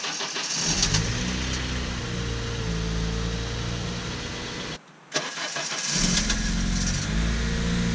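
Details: Honda Civic Si K20Z3, cold start after sitting and a fresh oil change: engine catches with a brief metallic rattle over the first second as rpm jumps, then settles to idle; owner suspects a timing issue, not confirmed.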